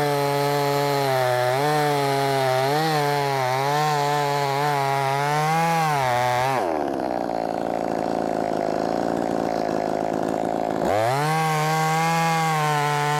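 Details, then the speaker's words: Brand-new, unbroken-in Wemars 6220 clone chainsaw on shakedown run: high steady scream at full revs, pulls down cleanly into the cut and recovers crisply after; loud, powerful, revs good; normal cutting under load. "And I guess what I mean by it sounds good, it sounds like it's going to be powerful. Rev's good."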